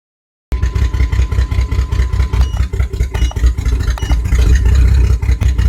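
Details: 1997 Jimmy misfiring while live data is read: loud, lumpy low throb with uneven pulses and stumbles over the idle. Misfire, cylinder and cause unknown.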